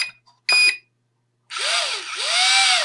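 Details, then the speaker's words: Eachine P51D RC plane motor on a flight controller damaged by reversed battery polarity: a short beep, then a high electric whine sweeping up and down with throttle; motor runs normally even though the aileron channel has moved to the rudder servo. "you can hear that the motor's working i have no explanation for this"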